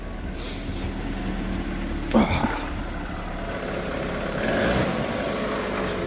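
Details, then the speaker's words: MK6 VW Golf 1.4 TSI turbo petrol, manual, full service history, just after start-up: low, soft, even hum with no knocks or ticks; a quiet, healthy idle. "just start up as you can hear it's so quiet"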